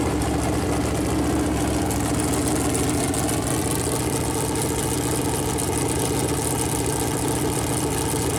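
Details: Freshly built Chevy Performance 454 big-block V8 on a run-in stand, first start, temp around 190, good oil pressure: settles into steady even idle, consistent beat, no knocks or misses; normal idle.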